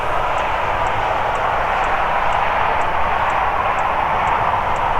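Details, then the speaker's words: Hcalory 12V 5kW suitcase diesel heater in a van, running at 218° and turned down to level one with 7 degrees inside: soft steady blower rush with a faint pump tick about twice a second, much quieter on low. "so if I bring that down you can hear it going quieter already bring it down to level one A lot quieter as you bring it down a few levels"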